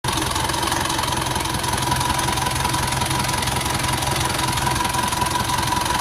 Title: rough idle sound